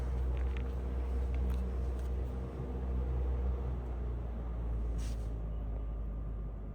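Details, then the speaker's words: Vintage 1950 GE 12-inch Vortalex 3-speed oscillating table fan, model FM12V43, on low: soft steady low hum with no rattle, ticking or scraping; super quiet, normal running. "I hope you can hear that. This one is super quiet."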